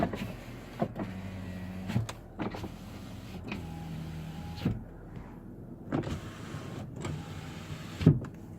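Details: 2018 Dodge Caravan SE Plus wheelchair van, 36,000 miles, 3.6 L V6: power windows hum smoothly up and down in several steady runs, each ending in a soft thunk, operating as they should.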